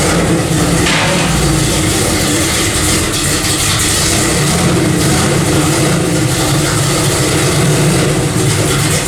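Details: 1995 Chevy 4x4 with a brand-new freshly built V8, first fire-up after fitting new dual exhaust: deep, steady throaty rumble with no knocks or misses; healthy engine.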